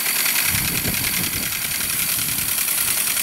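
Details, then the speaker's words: 1978 Hornby G100 Stephenson's Rocket live steam loco, never steamed, tested on about 20 psi of compressed air: steady hiss with an even chuff of about three and a half beats a second. Motion smooth and healthy. "i'm not going to go any faster than that and i reckon this thing will as i thought perhaps go like the clappers when it's under steam"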